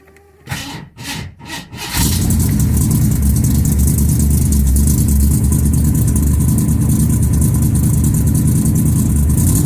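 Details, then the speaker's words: 1983 Ford Thunderbird fires after a few cranks and is held at high revs, topping out near 4,800 rpm where it stumbles and misses; owner suspects ignition system, cause unconfirmed. "when we rev it up to 4 800 that's as far as it goes and then starts missing"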